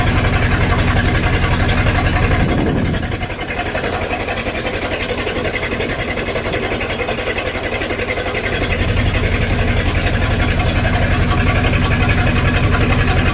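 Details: 1999 Formula 232 boat with a replacement V8: lumpy, stumbling idle about four beats a second; misfire caused by a 496 cam needing a different firing order than the plugs were wired for.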